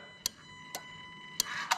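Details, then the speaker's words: ECUMaster Black plug-and-play harness for an IS200 1G-FE, bench test: sharp single AC relay clicks over quiet hum as the drive-by-wire throttle opens past 90% TPS, the AC cut-off working as intended. "so i'm going to open the drive by wire and you're going to hear the relay click as i get to 90"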